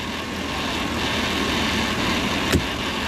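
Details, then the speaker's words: Petrol engine with codes P1132/P1152 idling with a fine, buzzy rattle after the purge valve was verified not leaking. The PCV valve is suspected to be rattling; not confirmed. "okay so I wonder what that Buzzy noise is I hear something that doesn't sound right sounds like a rattle almost like the perhaps the PCB valve which is that guy right there sounds like that might be rattling"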